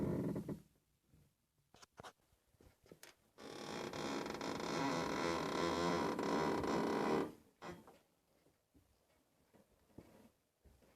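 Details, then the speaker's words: Nissan Tsuru/Sentra steering at low speed: scattered creaks, then continuous scraping squeak as the wheel turns; dirt got into a steering tie rod end through a damaged dust boot, and the noise stopped when penetrating lubricant was applied to the tie rod end. "el problema está en una de las terminales en de la dirección el sonido se transfiere por todo el metal pues toda la suspensión la dirección y es un poquito difícil identificar o encontrar exactamente la causa o la razón del sonido"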